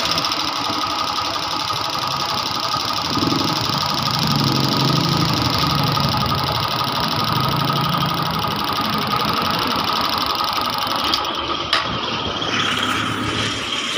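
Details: Honda TMX 125 that was hard to start because of a weak primary coil, converted to a battery-operated DC CDI; it holds a steady, even idle with no stumbling or dropouts. Normal idle.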